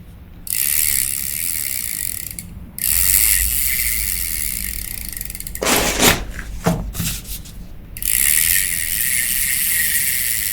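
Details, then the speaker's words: Daiwa 1000X fishing reel, Japanese-made, after repair of a grinding sound (loose cross-wind block screw hitting the gear): light, even whirr with fine ticking when cranked, no grinding or catching; smooth reel rotation, noise gone. "بتاعنا طبعا فرق كبير جدا الصوت اختفى اختفى اختفى وجت تلف بشكل ممتاز وجاهزه للصيد"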